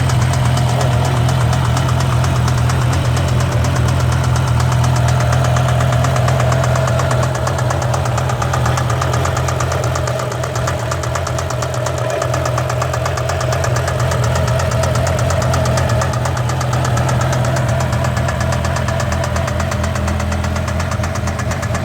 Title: BMW E60 M5 engine knock